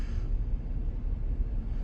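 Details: 2013 Audi Q7 3.0T supercharged idling with an uneven, lumpy pulse and heavy shaking; misfiring, running rich (short-term fuel trims −21), also mixing oil and coolant.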